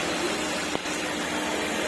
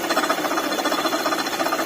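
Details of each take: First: Maruti Ertiga, latest model, after water pump replacement: steady even idle under a constant hiss, with no whine, squeal or grinding; the earlier engine noise came from the old water pump. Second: Maruti Ertiga petrol engine running: fast, even rattling chatter from the engine bay, present with AC compressor off, traced by removing the belt to a worn water pump bearing.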